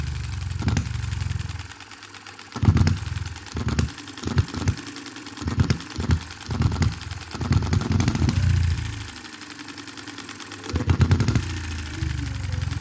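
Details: 2022 Enjomor Chinese hit-and-miss engine after valve timing correction and a small adjustable governor latch spring; running cool. Slow, uneven firing pops with quiet coasting gaps as the governor skips strokes; normal, even running.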